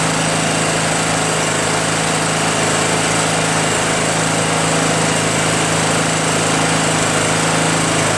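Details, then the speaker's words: Craftsman (Yard Machines) chipper shredder small single-cylinder flathead petrol engine after starter replacement and valve-seat clean-up: steady, even beat with no misses or knocks; running smoothly and healthy. "no problem starting now the only reason why this thing was in my garage because I needed to fix the starter you know what I mean"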